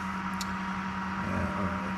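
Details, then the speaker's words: iCharger X8 discharging into its internal resistors at about 103 degrees, cooling fan running: steady drone with a gritty grinding rasp that reacts to tapping the fan. Fan bearings going bad, fan to be replaced. Cooling fan bearing grinding. "basically the bearings are going bad nice little grinding noise and if you tap on the fan there you go that's it right there"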